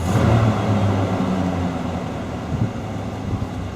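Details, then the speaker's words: Truck running a few minutes, temperature slowly coming up, oil pressure issue solved: even low rumble holding steady, no knocking or ticking; idling well, oil pump thought fine, previous owner believed to have run it without oil. "So I don't think there's any problem with the oil pump in this thing. I think he ran it without oil. I don't know what to say about that one. Seems to be running well, idling well."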